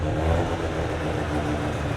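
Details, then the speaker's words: Mazda RX7 rotary on its first drive with a rough tune: it needs a quick splash of fuel, then cuts fuel as RPM rises. Uneven, stumbling note with revs hunting and catching rather than pulling smoothly. Running rough. "it needs like it needs like this quick splash of fuel and then as soon as it starts to like pick up any RPM it's got to kill all fuel let it grab itself and it wants to build back it's so wild yeah"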